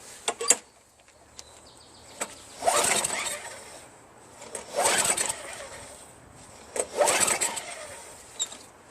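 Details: Craftsman Eager 1 22" self-propelled mower, Tecumseh 5.5HP engine, after STA-BIL Start Your Engines treatment: three recoil pulls about two seconds apart, brief rasps, no firing; no-start, carburetor (later found trashed beyond repair) removed.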